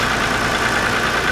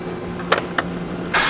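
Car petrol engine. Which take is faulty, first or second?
second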